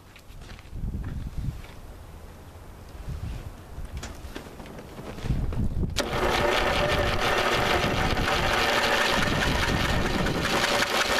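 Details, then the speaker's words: 1985 Lawn Chief riding mower, 11 hp Briggs & Stratton, cranked on a 150 A booster with the spark plug out and PB Blaster in the cylinder. A fast, steady starter whir with even rhythm and no binding; the engine turns over freely. Spark was later confirmed. "I would say that crank pretty good I wonder if we'll get any spark out of this thing"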